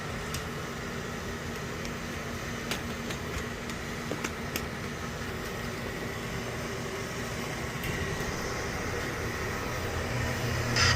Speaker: now the boil is firing the way we want to so we can just walk away and see what happens from here